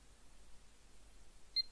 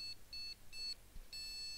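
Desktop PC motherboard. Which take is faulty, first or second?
second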